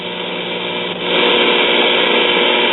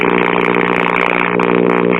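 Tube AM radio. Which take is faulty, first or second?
second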